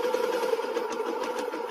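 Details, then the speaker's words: Old first-generation Yamaha Jupiter MX idling: rough, uneven clatter from the clutch side with clutch engaged, smooth when lever pulled; hardened clutch damper rubbers suspected. Won't stall or damage other parts. "kasar Oke jadi cuma itu kalau hanya ya tidak akan membuat motor mogok ataupun membuat kerusakan di part lain tapi tidak enak didengarnya"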